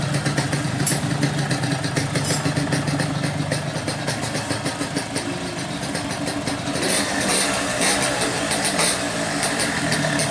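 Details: Yamaha RX King two-stroke, stock 135, after repair (magneto rotor re-pressed, clutch plates and springs replaced): steady crackling idle with no loose knocking or rattling from the magneto side. Normal idle.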